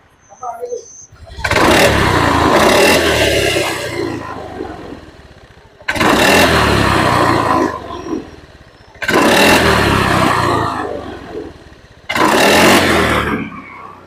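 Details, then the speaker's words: Honda Beat ESP fuel-injected scooter after replacing the TPS sensor and fuel pump, not yet reset; it previously stalled, misfired and hesitated off idle: four quick, clean throttle blips picking up instantly with no hesitation; revs smoothly and sounds healthy. "nah ini kita coba hidupkan KTA on nah Langsung angkat ya gasnya langsung ngangkat"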